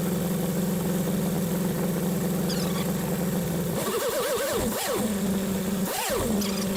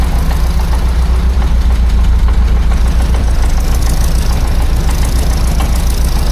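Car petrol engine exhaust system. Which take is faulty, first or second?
second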